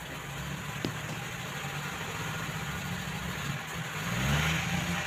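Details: Mazda carburettor engine with primary/secondary jets fitted the right way round (large jet on secondary, small on primary; reversed, it dies when throttled): steady even idle climbing smoothly on throttle blips, no stumble or stall; carburettor feeding properly.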